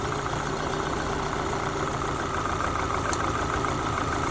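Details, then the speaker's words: Opel Zafira A idling: uneven stumbling beat with dropped pulse; third injector wire disconnected from the LPG controller causes misfire, connecting it directly smooths the engine; prior diagnosis found no pulse to third injector. "я відключив від газових мозгів і просто напрямую з'єдную і мотор уже починає ліпше працювати від'єдную починаються проблеми"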